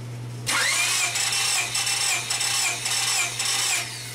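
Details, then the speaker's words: 2000 Honda Civic LX engine that severely overheated, compression test at wide-open throttle: an even cranking rhythm, with this cylinder reading about 162 psi. All cylinders were fairly close, from 150 to 162 psi. "go ahead and do this next cylinder crank it and it looks like we're at about 165 on that"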